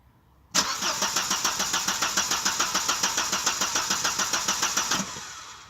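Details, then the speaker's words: 1992 Audi 80 with intermittent no-start: even starter cranking at about 3.5 beats per second never catches, with no fuel pump hum from the tank; bad fuel pump. Crank, no start. "Jag hör ingen bränslepump. Nej, det verkar helt dött i tanken."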